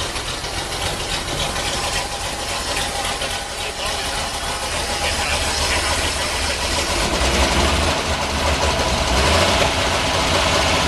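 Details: 1946 Chevy 2-ton cab-over with 235 inline six, first start in years after head rebuild fixing two stuck exhaust valves: steady, even running with loud busy clatter, no miss or knock; runs like a dream, normal running.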